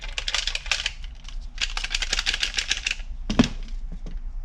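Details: Porsche 996 fuel level sender, removed and shaken by hand: quick irregular clicking and ticking from the loose ball inside; a brand-new sender makes the same noise, so it is normal.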